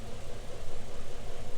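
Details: 2010 Dodge Ram 3.7 with a newly installed replacement engine, running about five minutes with the check-engine light on. A low, loping, rough idle stumbles every few beats. Continuous condensate from the tailpipe indicates a blown head gasket.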